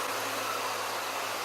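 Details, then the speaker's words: 1996 Ford Mustang AC compressor, newly replaced after bad pulley, running on defrost: steady even whir over low hum, no growl or rattle; good compression, bearings sound good, running really well. "tells me you got a good it's a good compression it sounds really good bearings in it running really well"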